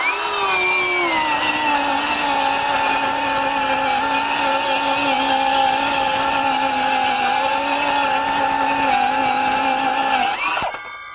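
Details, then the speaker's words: Metabo HPT C1807DAQ4 18V MultiVolt 7-1/4" cordless circular saw with the larger battery cutting two sheets of 1/2" OSB: steady high whine dips slightly as the blade bites, then holds through the cut; mild bog considered normal for an 18V saw. "Definitely a difference. We're having no issue going through. Still, the motor sounds like it's bogging a little bit, but I think that's going to be pretty standard in an 18 volt."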